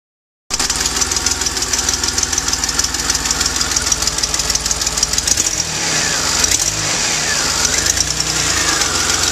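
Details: DeLorean idling before repair: rapid ticking puff and uneven stumble from an exhaust leak combined with a bad misfiring spark plug.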